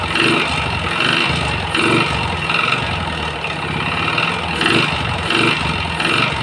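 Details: Yamaha Jupiter MX, smoky and clattering recently after a service, before teardown: light metallic clatter about once a second over a rough idle, no piston slap; the piston is suspected but unconfirmed; piston and conrod were later found damaged.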